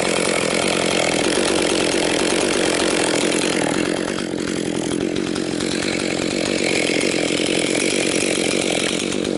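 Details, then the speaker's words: Husqvarna 262XP two-stroke chainsaw after rebuild, several tanks through it and breaking in, pushed harder cutting 4–12 inch pine firewood; steady loud buzz through a long cut, little bogging, no misfire or sputter. "Getting it going a little harder. pushing a little harder cuz I already have uh like I say quite a few tanks through it here and it's uh breaking in pretty good."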